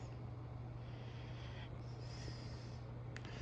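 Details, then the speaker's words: 36-inch Hampton Bay San Marino ceiling fan from January 2002, kitchen-mounted, running on medium after long-dead capacitor was fixed; steady low hum about twice mains frequency, motor hums for no clear reason, owner not bothered. "you can hear it humming a bit i'm not sure why but it doesn't really bother me"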